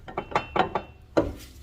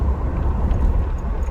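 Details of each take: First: 2004 GMC Envoy inline-6, front raised, old CV axle refitted and front diff refilled with 75W-90 synthetic, axle rocked by hand: sharp irregular clunks; excessive ring-and-pinion play in the front differential. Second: 2004 GMC Envoy, inline-6, 251K miles, test drive after front drivetrain repair: only smooth, low road rumble, no grinding or clunking over bumps or hard braking; quiet and healthy, though a slight grind remains in 4x4.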